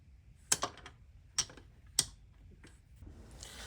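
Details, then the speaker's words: 1982 Honda XR200R, engine off, crankshaft turned slowly by hand after valve clearances were set: a few sharp metallic top-end clicks. Owner suspects cam chain slack, possibly a sticking tensioner. "So, I'm hoping that sound I'm hearing is basically some slack in the cam chain."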